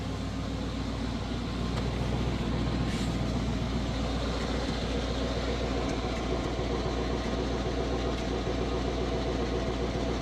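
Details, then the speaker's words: 1980 Chevrolet Scottsdale 350 V8 pickup parked 26 years, recorded from the rear at the mufflers: deep steady exhaust burble at idle, even rapid pulse, no misses; charging and good oil pressure. Finding: normal idle. "But yeah, this truck is sounding super good. That's a good running 350 right there."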